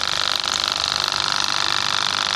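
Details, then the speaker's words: Wagner 435 7.8 hp diaphragm airless pump (F230 equivalent), after internal hydraulic rebuild for loud noise and oil leak, running under pressure with hydraulic valve directing pressure to the diaphragm: steady even hiss and hum, no knocking or surging; pump fine. "and then as soon as I open it up for pressure, it shuts off that return and it directs all the pressure towards the diaphragm. So I'm pretty happy to say now that this pump is fine."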